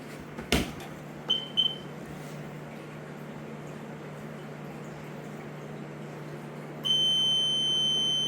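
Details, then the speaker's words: Sea-Doo GTI 130 with a replacement engine fitted after the old one threw a rod, first key-on: several short high beeps, then a steady high tone over a faint hum as the fuel pump primes; normal key-on sequence before it starts. "What happened? Just cycling. Oh. Cycling the fuel pump."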